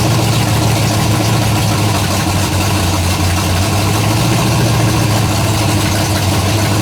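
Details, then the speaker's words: Freshly built 427 big block first fire-up on a stand, just warmed up, idling steady and strong with a light tick riding over it; one valve heard ticking, valve lash still to be adjusted. "I'm still gonna run the valves I can hear one over there"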